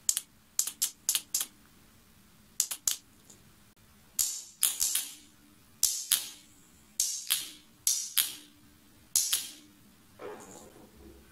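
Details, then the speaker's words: Generic Ideo 50cc two-stroke scooter starter solenoid bench-tested on 12 V motorcycle battery: sharp single click each time power is applied, no buzzing; solenoid working fine. "Dây được kết nối với ắc quy và 12 vôn đang đi đến chúng. Hãy xem cuộn dây có kêu tách khi được cấp điện không."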